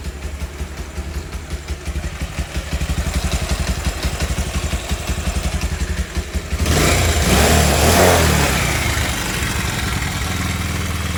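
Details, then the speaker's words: Bajaj Pulsar 150 with a pickup problem, after fitting a new main jet and a pilot jet with enlarged holes: steady, even single-cylinder idle, a clean rev blip, back to a smooth stable idle without popping. Normal running. "மாட்டி இப்போ பார்த்தோம்னா வண்டி எப்படி ஓடுதுன்னு பாருங்கள். நான் அந்த வீடியோக்கும் இந்த வீடியோக்கும் different இருக்கும்."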